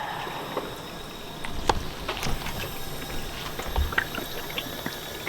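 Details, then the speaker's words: Honda Civic Si cooling system pressurised with about 60 psi of air: irregular gurgling and bubbling in the coolant as air passes into the water jacket; blown head gasket or warped cylinder head, with the head gasket already replaced once. "y'all see how it's still bubbling so the air is getting pushed through the head gasket or the cylinder head and it's pushing through here"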